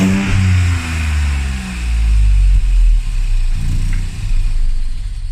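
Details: Classic Mini with a swapped modern boosted 3-cylinder engine, after adding an emulator that feeds the ECU the RCM no-crash signal: it blips up and settles back several times, revs climbing and falling cleanly with no misfire or knock; it runs normally.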